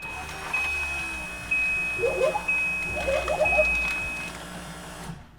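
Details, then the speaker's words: Holley Terminator X relay primes both newly wired fuel pumps for about five seconds on a turbo LS6-swapped Volvo wagon before first start: whirring buzz with a thin steady whine, one pump slightly laboured but struggling less and sounding much better than before. "does it for five seconds and that is both of the fuel pumps wired up so it sounds like the one fuel pump is struggling a little bit less it sounds much better than it did so that's good"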